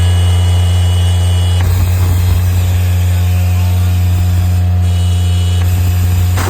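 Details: Miller Bobcat 200 Air Pak diesel welder-compressor after the rust and water lockup repair and a fix for insufficient airflow, compressor engaged: deep, steady diesel drone with an even low hum under load, no knocks or grinding. It runs smoothly.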